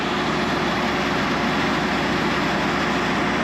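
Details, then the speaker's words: 1970 Corvette C3 V8 with a newly installed Edelbrock carburetor and manual choke. It started while cranking to fill the fuel filter, then settled into a steady, even, smooth idle with no misses: normal running while warming up. "While I was cranking it, she just started right up and ran nice and smooth. Yeah, she's running smoothly."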